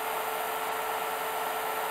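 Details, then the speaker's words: IBM DPS-2000BD server power supply charging batteries, pushed to the highest current the charger draws (around 50–70 A): the voltage drops and a steady, airy hiss with a faint whistle appears. At 30 A it was silent and stable. "voltage goes down and there's kind of hissing noise"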